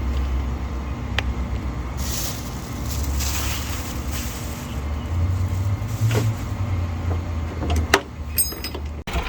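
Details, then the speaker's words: 1990 Bluebird bus with turbo Cummins diesel and VE injection pump, after bleeding the fuel system and fitting a new battery: deep uneven rumble surging and sagging, thumpy, no steady idle, as if short of fuel; cause suspected, not confirmed. "But anyway, we bled and bled, but as you can tell, a little thumpy in the back."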